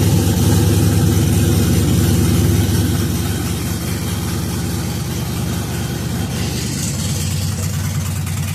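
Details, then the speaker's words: LS-swapped V8 in a 1966 F100 on a Crown Vic chassis, running on a replacement flash computer after an anti-theft lockout: a deep, loud, lumpy chopping idle at about three beats per second with every cylinder firing. A normal idle. "Basically, I was just excited wanting to hear this thing sit and idle and chop."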